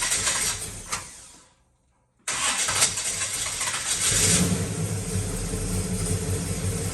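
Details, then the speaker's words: Circa-1970 Pontiac GTO V8 after a pushrod swap: engine cuts off, restarts and settles into an even, deep idle with no lifter ticking; the valvetrain is quiet now. "way quieter what' you say yeah that's that's money right there H that's night and day that's nice"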